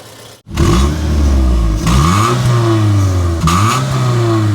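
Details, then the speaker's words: 2005 Suzuki Aerio facelift, four-cylinder, manual, catching and revving in smooth even pulls with no rough noises from inside the engine. Combustion is good, with no smoke. "dan ini suara mesinnya halus standar normal tidak ada suara-suara kasar dari dalam mesin"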